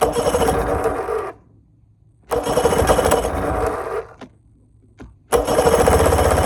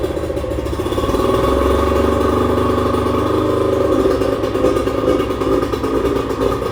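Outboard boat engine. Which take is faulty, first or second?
first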